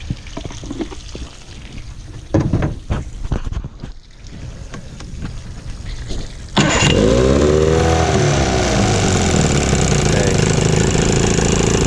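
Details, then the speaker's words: Evinrude 15 hp electric-start outboard that sat a year, after a fuel line replacement, running on water: after some rattling it catches at once and settles to a steady even idle; starts and runs fine. "okay so she's running pretty good"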